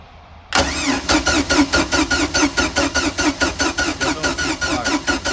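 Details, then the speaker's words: Marketplace boat engine, after a new battery (the old one read 10.5 V) and a coil swap (the coil had tested good): steady cranking with even compression pulses, no spark and no firing. It later ran after carburetor adjustment and points gap and cleaning; crank no start. "I don't see any spark. Although that coil tested good, I swapped it. Let's see if we get spark yet. Still no spark."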